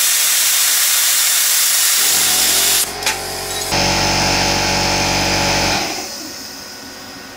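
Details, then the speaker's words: Everlast Power Plasma 50 at 19 amps on thin steel, compressor at 70 psi, cutter air turned down to about 30 psi: a sharp air hiss, then a steady crackling arc with an even buzz that stops cleanly. Normal cutting. "so that was a success. I had to turn the air pressure down for that, so I'm on 70 psi on the air compressor, and I turned down the air pressure on the plasma cutter."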